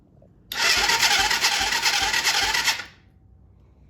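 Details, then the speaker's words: Kids' Chinese 110cc ATV, cranked on the starter with a battery just fitted and no gas yet: about two seconds of whirring with a slow, soft chug near three beats a second. It turns over but sounds weak; the cause is unconfirmed. "over I'm got to find some gas on and put it in the tank but yeah I mean it turns over sounds kind of weak"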